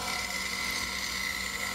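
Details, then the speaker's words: Bandsaw cutting clear pine: an even, high-pitched whine as the teeth bite cleanly through the wood, with a lower-pitched purr at the corners from the bearings supporting the twisting blade; normal cutting. "and you can listen as the saw is cutting here and as i round the corner you'll hear a a lower pitch pearl not the teeth cutting through the wood which is a higher pitch sound"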